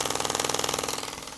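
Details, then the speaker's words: Newly assembled Myfordboy wobbler model steam engine on steam from a low-output boiler, pressure unknown: soft, even quick chuffing, fading slightly as it slows, no knocks or leaks; runs sweetly and very quietly. "Now you can hear how truly quiet this engine is. Isn't that amazing? It's just purring"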